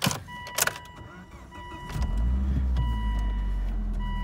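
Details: 2004 Volvo V70 R AWD 6-speed, about 195,000 miles; a few clicks then a smooth, low whirring motor hum holding steady without straining or grinding: normal power window operation.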